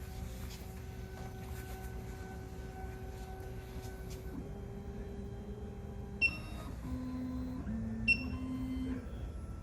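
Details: SEC-E9 key cutting machine calibration with calibration block clamped: motor tones step between pitches as the cutter probes, then beeps signal the end of the step; a normal calibration cycle.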